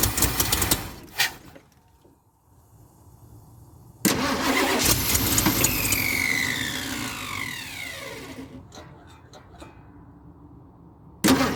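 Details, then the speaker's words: 1976 Ford F250 crew cab parked about 17 years, battery just charged: it cranks, catches with a ragged burst, runs a few seconds and fades; owner thinks he flooded it with extra gas. Brief start then stall. "yeah she's running a little bit my neighbors love me if you can't hear that a little bit more gas I think I just drowned it let's try again"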